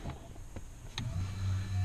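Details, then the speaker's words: NoWeeds exhaust diverter motor on a 2015 Dodge Challenger Scat Pack, wired to a Dakota Digital controller: a couple of faint clicks then a short low whir as the valve drives open; normal actuator operation. "That's open. I'm going to leave that towards the front, just so I know the exhaust is coming out the front."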